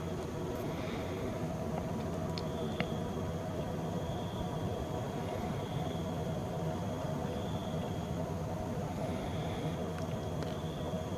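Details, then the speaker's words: LG twin-tub washing machine, after repairing a non-spinning spin tub (faulty limit switch); steady even spin-drum hum with constant motor tone, no knocks or rubbing; normal spin cycle after repair. "แสดงว่าใช้งานได้ตามปกติแล้วนะครับสั่งปั่นแห้ง"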